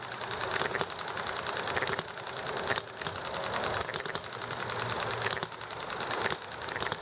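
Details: Enjomor model engine running evenly: light mechanical clatter with a sharp firing pop every second or so, coasting between beats, amid highway noise, alley traffic and neighbor chatter; normal hit-and-miss running.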